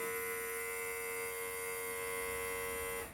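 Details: Electric brake vacuum pump on an El Camino with low manifold vacuum, using a solid-state relay triggered by a pressure switch; after the brake is released it hums evenly at mid pitch for about three seconds, then cuts off cleanly once fully pressurized, cycling far less than before.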